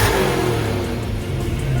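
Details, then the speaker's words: 1988 Saleen supercharged Foxbody Mustang, warmed to about 160 degrees after fixing a large vacuum leak and EGR spacer: engine revs up and settles cleanly, smooth with no misses or knocks; healthy free revs, though running rich and needing a tune. "not bad [Music] but she is Rich so we'll we'll fix that tune no big deal"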